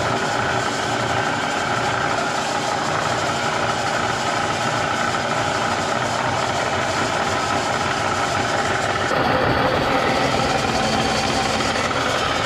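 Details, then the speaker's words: Bridgeport Series 1 2HP variable-speed J-head before repair, noise worsening over time: constant rattling, rubbing racket under the motor hum. It persists with the drive disengaged below the vari-speed, so the owner rules out spindle bearings and bull gear and blames the upper half. Worn belt, pulley bushings and bearings. "the head started making tons of noise uh slowly getting worse over time I finally decided to tear it apart and get it fixed up"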